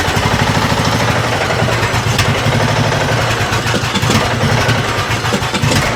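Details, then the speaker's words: Neglected Craftsman riding mower engine, choke worked by hand: single-cylinder idles unevenly with lumpy, stumbling beat and dull knocking from the bottom end, smoky, running rough; suspected bad head gasket or damaged piston rings, later swapped for used Briggs & Stratton Intek. "All right. She's a little rough. She's a little rough. And uh I was trying to just work with the choke manually by hand over there, but it definitely sounds like there is some knocking going on in that bottom end."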